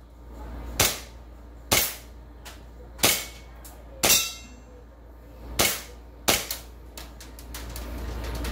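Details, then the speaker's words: Gas blowback airsoft Glock 18C after repair of misfiring, jamming and gas leaking: six sharp crisp shots with clean slide cycling over about six seconds, no hesitation or hiss, hitting target; normal firing. "so narinig niyo naman 'di ba tinatamaan naman yung target natin okay na siya ganun na siya okay na maayos na siya wala siyang problema wala ng issue."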